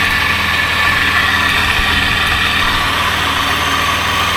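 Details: 1997 Lexus LX450 (80 Series Land Cruiser) at idle after years unused: steady high whir at the front of the engine over an even idle, unchanging; owner suspects a bad idler bearing, not confirmed.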